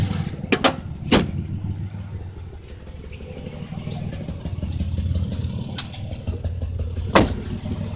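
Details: 2005 Impala 3800 engine idling with an uneven, stumbling beat and occasional sharp catches; P0305 cylinder 5 misfire persists after replacing #5 plug, wire and injector, cause not yet found.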